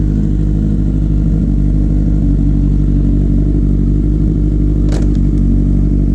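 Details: 2008-10 Kawasaki ZX10R after new stator fitted and recharged battery, first start after sitting over winter: deep, steady idle with a regular firing beat and one brief light clatter; earlier noises gone, engine sounds healthy.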